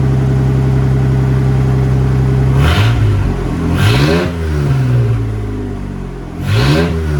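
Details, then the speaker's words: Ford F-150 after junkyard head swap and resealed intake gasket: steady idle with three clean throttle blips rising and settling back promptly, no hunting or racing; normal running. "she's riding really good I guess we could finish putting her together I think that's all I needed to see"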